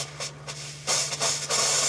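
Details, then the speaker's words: RV being de-winterized, with antifreeze purged from the cold and hot lines: irregular hissing and spitting bursts come from the faucet as trapped air clears. This is normal until the water pump restores line pressure. "Il y a de l'air qui aussi c'est normal. Je vais lui donner le temps de remettre la pression dans le tuyau pour qu'on arrête de faire de l'air."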